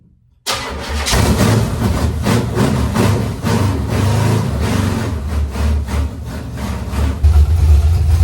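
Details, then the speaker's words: Junkyard small-block Chevy newly installed in a 1970 Nova, first start with timing set by ear after making own TDC mark, fuel system unfinished: fires instantly, loud slightly uneven low idle with a blip, runs briefly; normal start. "The motor runs. Fired up. Didn't run long."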